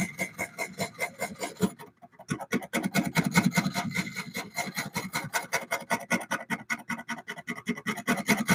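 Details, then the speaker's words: Woodturning lathe cutting a Cypress bowl blank: rapid rhythmic scraping pulses, two or three a second, pushing the gouge in and out as it catches the high spots of the warped, out-of-round wood. "You can hear that it's not hitting round. It's hitting a little bit of a bang, bang, bang, bang, bang. See how it's moving me in and out? That's that little bit of a warp that's in the wood."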